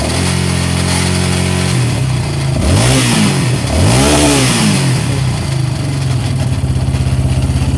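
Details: Yamaha Raptor 700 single-cylinder engine, valves properly adjusted, rattling with undetermined source (owner wonders crank, rod or head); idle thump, a couple of throttle blips, then uneven rattly idle.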